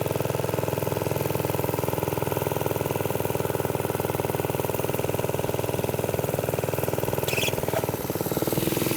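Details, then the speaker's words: Briggs & Stratton-powered "Piglet" minibike, rusty rescue project run with choke after clutch prep; the idle may be set a little high and the sprocket has bad runout. Steady, fast, even single-cylinder popping without misses; it runs but is sketchy and needs more work. "so obviously we got the little piglet running surprise surprise um it's really sketchy it needs a little bit more work"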